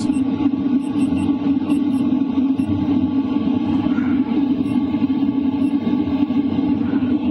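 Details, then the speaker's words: LF Bros diesel heater at 4 kW in a tent, microphone near the air duct: constant airy fan roar from the duct and outside exhaust over a steady mid hum, with no clicking, surging or rattle; normal running at high output. "What you're hearing right now is mostly the sound from the air duct and also the exhaust pipe outside."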